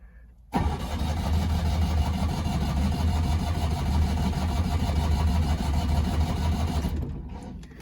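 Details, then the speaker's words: Citroen 2CV carbureted engine with manual choke fully out: steady low churning crank for about six seconds, ticking over but never catching; owner suspects too much choke, and it starts once choke is set halfway. "okay it was ticking over nicely but it didn't want to catch there so i'm gonna try and put a little less choke just a tad less to see if that makes a difference"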